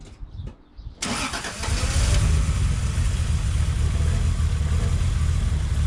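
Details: Toyota Supra after cooling system rebuild (new water pump, thermostat, coolant): engine cranks briefly, catches at about one second and settles into a steady, even idle with no knocks or misses; normal start and idle.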